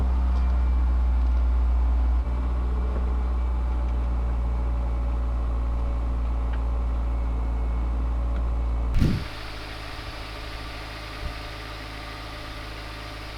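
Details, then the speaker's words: Honda S2000 AP1 started after sitting through winter, warming up: steady even low idle hum with no knocks or misses; normal idle. "let's start her up oh honda not failing me still starts up"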